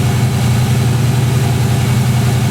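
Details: 1963 Oldsmobile 88 V8 warming up at about 35°F after a cold start: a deep, loud, steady, even rumbly idle with the exhaust far too loud, as the muffler is blown; runs smooth otherwise.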